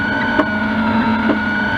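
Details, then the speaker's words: Anycubic Linear Plus 3D printer on its first print: steady stepper hum with a thin rubbing whistle and short scrapes at the back side of the first layer; owner says bed is level, suspects Z motor needs warming up. "I mean, to me that sounds exactly like the bed's not level. It's level. I don't know why it does this. Every first print, that backside does it."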